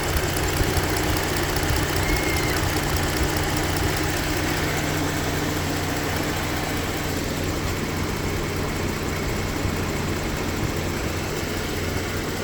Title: What is the ticking sound and what is the sound heard at 0:20?